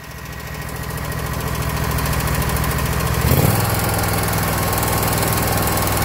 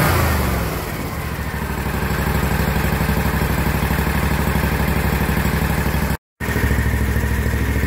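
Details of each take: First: Kawasaki FX691V twin on a 2021 Scag Patriot with 80.6 hours, before adjustment: steady light ticking that keeps pace as it revs, from cylinder 1 intake valve lash at 0.010 in against the 0.004–0.006 in cold spec. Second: Kawasaki FX691V twin on a 2021 Scag Patriot, 80.6 hours, after valve lash adjustment (cylinder 1 intake was loose at 0.010 in, set to 0.004–0.006 in cold): even steady thump about four beats a second, tick gone; normal running.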